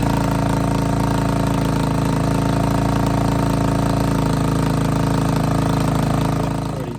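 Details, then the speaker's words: Suzuki LT250E Quadrunner, pull-started with weak battery and choke stuck: single-cylinder chugs at fairly steady idle with faint speed waver before cutting out; intermittent fuel starvation then surging, new fuel pump planned. "it's sort of every now and again it likes to starve itself with fuel and then when it gets a big uh big clump of fuel come in it revs right up which is very annoying"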